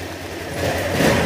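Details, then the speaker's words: Honda Click125 after engine overhaul for a loud "big bike" noise, radiator and airbox refitted: low even hum swelling slightly as throttle opens, no rasp, boom or hissing "turbo" sound; now quiet, normal healthy running. "para hindi tunog parang singaw. Tahimik na. Hindi na siya di-turbo."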